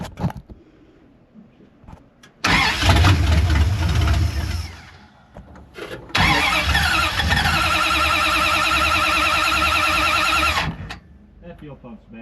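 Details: 1973 Dodge Charger, 383 big block, long parked after ignition timing and overheating issues, fuel pump unproven: two long cranking spells, starter churning at an even rate, engine never catches; cranks, no start, cause unconfirmed.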